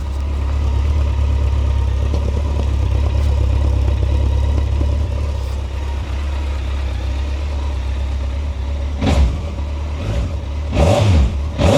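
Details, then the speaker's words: Unmodified Suzuki GSX1400 barn find, about 2,188 miles, stored 23 years: deep even idle with no knocks or ticks, then clean quick throttle blips, smooth like a sewing machine; normal idle. "What do you think to that? It's like a sewing machine. It's like a sewing machine."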